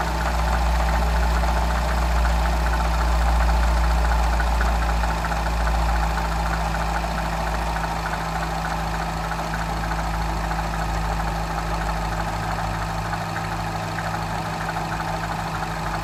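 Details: Citroën DS3 THP petrol engine idling with a steady low drone and a faint, regular light tapping over it. The strange noise is unidentified.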